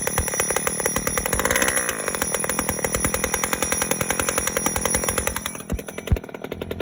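Buzzy two-stroke running fast and steady with a crackly, uneven beat near the end; hard starting previously, cause not known.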